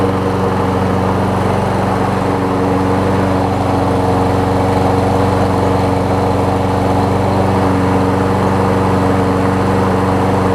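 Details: Toro Personal Pace self-propelled push mower after replacing a shredded self-propel drive belt: small single-cylinder engine holds a steady, even drone at constant speed with no knocks or belt-slip squeal; runs normally.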